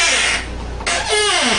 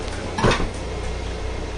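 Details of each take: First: Hampton Lazy Susan corner base kitchen cabinet turning before the fix: a hissy scrape gives way to a wavering squeak sliding down in pitch; lubricated with graphite, lithium grease spray recommended instead, squeak improved. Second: Hampton corner-cabinet Lazy Susan after lubrication fix: brief soft knock and rustle as the turntable rotates, no squeak or whine, quiet after repair.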